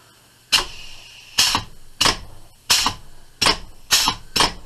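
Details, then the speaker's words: 1927/1955-type Metropolitan Vickers/GEC electro-pneumatic unit switch, after servicing, tested on air and 120 V DC: eight crisp clean clacks in about four seconds; contactor switching normally. "say that's working quite nicely"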